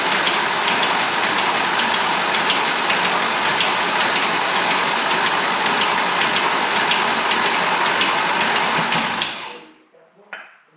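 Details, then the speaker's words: Engine's first spin-over on the starter to cycle oil; oil pump delivering: even cranking about four beats a second with faint metallic chatter. Owner suspects timing-chain noise before oil pressure reaches the chains. "it almost sounds like there's a little bit of chain noise so I'm just going to keep on cycling oil seeing if uh if maybe just oil pressure hasn't been able to reach the chains enough [Applause] yet"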